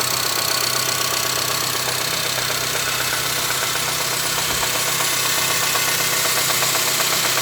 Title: my engine making knocking sound